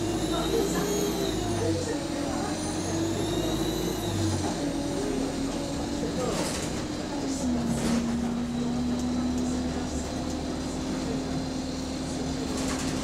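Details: Transport UK Euro 6 bus TUK 8202 on route 367: a thin, steady high whistle rides over the low engine drone and shifts with revs under load; a turbo leak is suspected, not confirmed.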